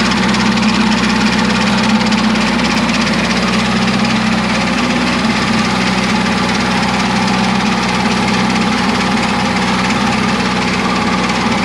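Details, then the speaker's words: 1975 Chevy Vega Cosworth twin cam, running after sitting 20 years, timing advanced to about 12°; rough uneven knocking about three per second over idle, idle speed rose with advance; cause unknown. "okay good knocking or what it sure sounds like it doesn't it yeah yeah i don't like that at all"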